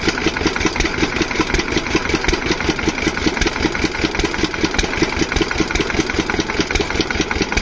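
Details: Single-cylinder diesel water-pump engine, after fixing the no-start caused by fuel not reaching the pump, thumps at a brisk, even beat with steady combustion and no misses; running perfectly, no problem.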